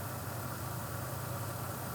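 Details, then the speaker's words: 1991 Mercedes 300TE 24V (S124) with EHA valve fitted, valve dry with no leak; low smooth even idle, not above 1000 rpm as it sometimes does, no hunting: normal idle. "if we go in here we can actually also see that it it is idling in the way I would like it to idle not above thousand like it sometimes does"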